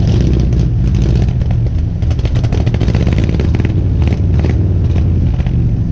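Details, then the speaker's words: 1970 Ford F100 V8 that sat for years, running after a carburetor rebuild and new spark plugs: deep, even rumble with no misses, knocks or rattles; normal running, though it smokes heavily and the owner hopes new rings will help. "She sounds good and runs really good now."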